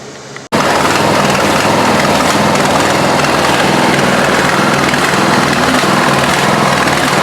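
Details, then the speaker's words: Craftsman LT1000 lawn tractor, 17 HP OHV single-cylinder, running fast with an uneven stumbling miss and pops backfiring through the carburetor; loose valves were adjusted, which helped only slightly, so the misfire persists and its cause is unconfirmed. "it's not quite as bad but still doing that"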